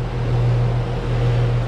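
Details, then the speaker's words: 20+ year old Lennox HP27 heat pump outdoor unit after defrost board replacement: loud, steady low hum with even drone, no knocks or rattles, warm air from top; older unit running normally. "sounds like a beast you know it's older machine and uh it's a little loud but it is what it is"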